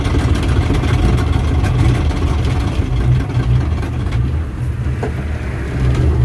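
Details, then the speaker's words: 1962 Mercury Comet, first drive in 48 years, rebuilt engine and transmission per seller: heavy low rumble with rough uneven thumping only while moving, not at idle. "There is a horrible, horrible noise coming from... It's only when the car is moving, not when it's idling."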